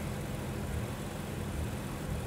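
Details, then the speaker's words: 2015 BMW 640i with N55 engine, check engine light on: rough, uneven idle with a low rumble that stumbles now and then; intermittent misfire showing short burn time and turbulence, carbon suspected but not seen by borescope. "we're getting these crazy turbulent misfires let me stop the capture and turn off the vehicle"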